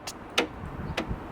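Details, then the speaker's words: Land Rover Freelander 2 boot handle button after repair, wiring reconnected: a couple of sharp clicks and a soft clunk as the latch lets go; tailgate release working properly. "So moment of truth. So we shut the boot and we open the boot."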